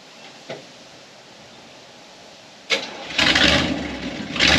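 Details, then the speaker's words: 1978 Chevy K10 4x4 project truck, known to run horribly, started for a drive: after a few quiet seconds it fires and runs in uneven surges, the idle rising and falling instead of holding steady; rough running. "I mean we know it runs horrible we've done this before but why not let's do"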